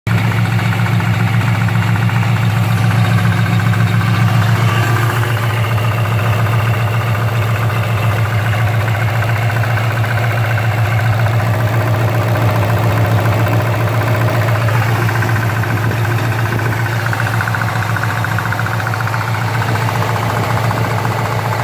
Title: 2015 Paxton GT Unknown knocking sound